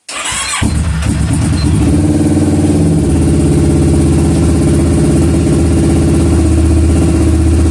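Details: 2009 Kawasaki Versys after no-start traced to an old weak battery: starter spins briefly, engine fires at once and holds a smooth, steady idle with a regular beat; starts and runs fine.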